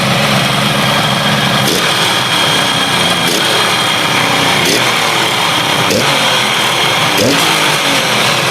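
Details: Motorcycle stored 32 years, cold engine just started after fixing fuel tap and carburetor leaks, oil visible at the exhaust. Runs rough and uneven, stumbling and dropping out about every second instead of holding a steady beat. Engine misfire.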